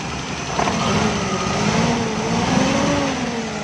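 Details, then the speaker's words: Suzuki Bolan/Ravi at idle, missing; uneven stumbling idle with one cylinder dropping out, misfire from a plug shorted by water in its well. "दोस्तों ये missing कर रही है गाड़ी और गाड़ी चेक भी नहीं कर रही"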